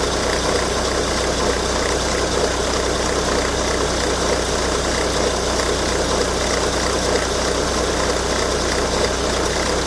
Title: Volvo V70 D5 - strange noise from auxiliary belt